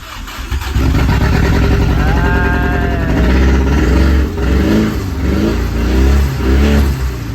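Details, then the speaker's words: Datsun 280Z with transplanted turbo Audi engine, first run after nine months, exhaust not fully fitted; rough uneven lumpy idle with clear misfire. "so we got a very clear misfire somewhere sorry at least it runs"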